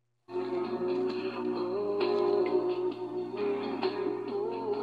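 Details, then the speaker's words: Timex clock radio tape player: the belt was checked and found fine, and the owner blames a cheap drive motor; the music plays low-pitched and sluggish, dragging too slow. "the tape player however because they use such a shitty motor in this one i already open it up and there's nothing wrong with the belt so what's the motor obviously but hear that yeah so very slow"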